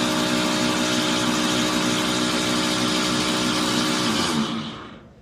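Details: Samsung washing machine, before repair: loud, harsh grinding with a fast rough rattle, then it winds down to silence; a worn plastic gear was grinding against a metal gear.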